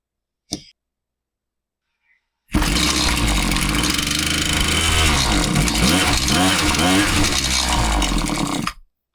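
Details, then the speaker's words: Husqvarna 525PT5S two-stroke pole saw, customer complaint of bogging, after a carb refresh with both mixture screws reset a quarter turn rich and the top cover off: revs sag and surge unevenly. It runs fine on top but bogs on the trigger and ignores low-speed adjustment; cause unconfirmed, possibly not the carb. "This thing clearly is not responding to my low speed adjustments. It is uh is running good on the top end, but on the bottom, you know, it might idle, but as soon as I hit the trigger, it bogs."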